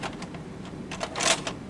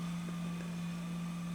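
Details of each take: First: JVC HR-S5400U Super VHS deck after repair of gear re-engaging with the spindle: short clicks and whirring bursts as it pulls in and threads the tape, loading normally where before it wouldn't load. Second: JVC HR-S5400U Super VHS with tray stuck open: head drum spins up with a steady low hum but no loading clicks follow; tape won't load due to a mechanical issue, tray not fully ejecting.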